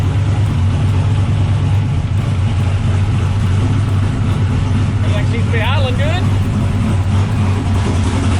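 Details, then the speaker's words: LS V8 turbo car after replacing the whole hot-side turbo exhaust piping: deep steady rumble holding an even note, no ticking or exhaust puffing. No leaks, no boost leaks from holes, responsive. Normal healthy running. "good everything feels good everything sounds good she sounds like she's ready to go uh there's no leaks anywhere everything's cinched down tight"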